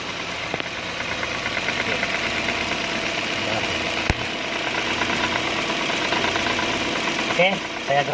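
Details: Proton Saga FLX intake manifold at idle: light irregular metallic rattle over engine hum; loose butterfly flap tapping inside manifold.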